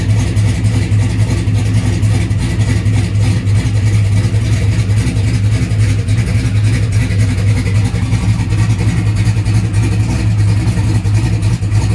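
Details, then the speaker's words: Turbocharged small-block Chevy V8 drag car at cold start, fired on brake clean after battery changes. Deep, loping, uneven chug at idle, like a choo-choo train, steady throughout; it starts and idles normally. "She looks like a choo-choo train. Choo-choo. All right, it did start up."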